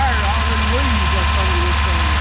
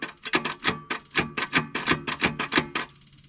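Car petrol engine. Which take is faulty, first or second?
second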